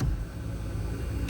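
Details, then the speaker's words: 2014 Kia Cadenza driver-side power seat after repair: a displaced protective boot had been riding the seat rail, causing vibration and noise. Now a short, steady, even motor hum as the seat travels, with no grinding or chatter. "For some reason, somehow that whatever protective boot is at it, somehow it moved through the um rail and causing the vibration and noise, but now it's gone."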